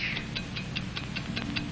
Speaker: America's fine watch tick steadily accurately on five ticks every [Music] [Applause] second